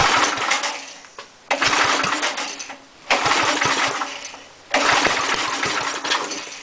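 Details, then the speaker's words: Small air compressor engine after head and valve seat cleanup and oil change, choke then a little more gas: surges in uneven bursts and sags, hunting instead of holding speed, running rough; owner suspects governor or carburetor, mixture adjustment hasn't helped. "But that is running like absolute shit, and I'm not really sure why."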